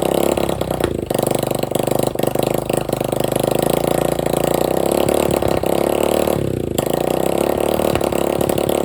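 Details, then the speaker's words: Free dirt bike running with no exhaust pipe and no carburetor filter, with about a six-inch flame shooting out: a harsh, loud, crackling single-cylinder bark at fast idle. Engine running without exhaust. "definitely got to put the exhaust on there filter for the carburetor unless he runs there you go see the six inch flame that shoots out of the front of it gotta get that exhaust put on there"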